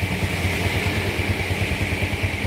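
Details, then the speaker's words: Yamaha Jupiter Z after a total engine restoration following a truck crash that wrecked the engine: steady, even low putter at idle with a regular firing beat and no knocks or rattles; sounds like new, normal idle. "baru keluar dari dealer ini suaranya Bos adem Bos body kokoh Ya kembali normal lagi suaranya Bos ya"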